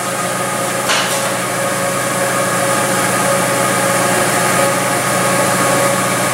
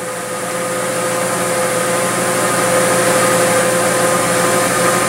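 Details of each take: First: Engine at idle, monitored by a homemade pressure impulse sensor on a Picoscope, with the number four plug wire pulled to simulate a misfire: idle turns uneven, stumbling as one cylinder drops out each cycle. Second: Four-cylinder engine at idle, checked with a homemade pressure impulse sensor in the exhaust on a Picoscope: steady hum with even exhaust pulses, no stumble or skipped beat; engine idling normally.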